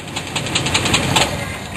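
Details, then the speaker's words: Car with engine rattle heard at idle and at shutdown: quick metallic ticking about five per second, loose-sounding and low; owner suspects a torque converter bolt rather than the crankshaft, not confirmed. "start up again and turn it off I want to hear what the rattle is the end turn it off H I think this be the T converter bolt for this it's a lot less serious than a crankshaft"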